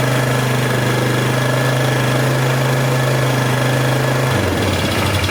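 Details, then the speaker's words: 2003 Polaris 330 Magnum ATV after an engine swap: the single thumps steadily only with the throttle barely held, then sags and dies when released. The throttle-housing kill micro switch is suspected; won't idle without throttle. "It sounds good, but it only idle if I hold my thumb barely on that. Hold my thumb barely on the throttle."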